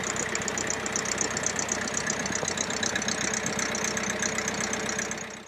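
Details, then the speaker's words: International B276 diesel tractor at idle after annual service and tappet clearance reset, running without exhaust silencer: steady even idle, loud open exhaust, no ticking from valve gear; earlier tappet noise gone, fuel system bled, starts on the button. "as you can hear it's certainly sounding a lot better no we're not getting that tepid noise that we were getting before so that's fantastic news"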